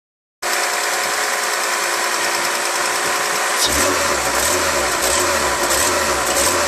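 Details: Mercedes C36 AMG M104 engine, throttle body rewired and overvoltage relay replaced: fast idle over 1100 rpm with an uneven, lumpy beat about four times a second; running rough, owner reports misfire when cold, cause unclear.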